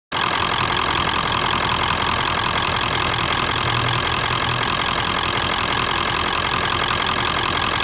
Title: 96 f250 7.3 rough idle on decel